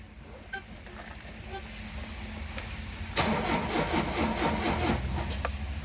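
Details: Tata Sumo Grande diesel no-start with many stored fault codes; the same symptoms appear with both the old and a new ECM, pointing to an electrical fault. The starter churns at a steady two beats a second but never fires; blamed on a faulty main relay.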